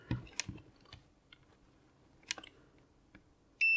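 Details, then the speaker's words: Continuity tester gives light probe taps then a steady high beep, confirming a good connection while checking pin one orientation of a flash chip adapter on a cheap voice recorder module that was failing to talk to the chip. "let's double check the continuity because it may be that it's not the right way around"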